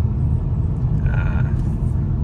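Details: Toyota Estima test drive after steering rack repair and mounting work: steady low road rumble with no knocks, clunks or creaks; steering and suspension sound quiet and healthy.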